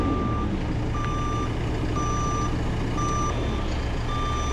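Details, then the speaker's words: Telehandler uprighted after rollover, restarted and boom lowered: steady reverse alarm beeps about once a second over low idling engine but it won't back up or move; possibly locked, cause suspected, not confirmed. "we were able to start it and and put the boom down but it won't go in reverse it won't back up I'm guessing cuz we could hear the"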